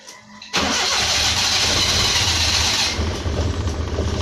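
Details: Multicab 12-valve engine after ignition key no-start troubleshooting: quick crank that catches at once and settles into a steady idle; starts normally now.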